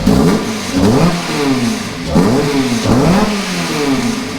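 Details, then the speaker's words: Toyota MR2 with swapped Honda K24 engine and large muffler, first startup after install on a charged battery; several quick blips rise cleanly and fall back to a calm, smooth idle without knocks or rattles: healthy free revving. "yeah there you go there you go yeah she's she makes a little noise when they give her a little bit of gas there yep idling pretty smooth sounds good I like it yeah that ain't noisy at all"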